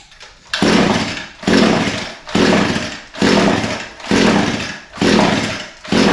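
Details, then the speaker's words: Echo SRM 225 line trimmer with a brand new spark plug fitted and compression feeling adequate: steady pull-cord rasps about once a second with no firing or catch. It cranks but never starts. "well still nothing uh maybe now we know why the pull starter was broke somebody must have pulled it so much that it broke the spring"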